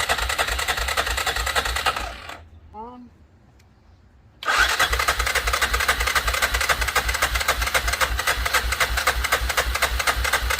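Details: 2006 Arctic Cat 400 4x4 quad bought used, battery dead at 6 volts, cranked on a jump pack. Steady cranking with even compression pulses, about four a second, but it never catches. Owner suspects it is out of gas or has a dirty carburetor. Cranks, won't start.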